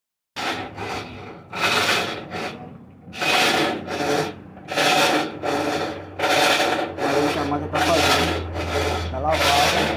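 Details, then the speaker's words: Colormaq washing machine making a harsh rasping scrape with each agitator stroke, about every 1.5 seconds, over a low motor hum, only on water level 4; caused by worn clutch coupling rings. "Pessoal vocês viram aí a situação que está a máquina só no nível 4 e começa a fazer aquele barulho importar como é que eu posso resolver isso pessoal vou dar aqui algumas d"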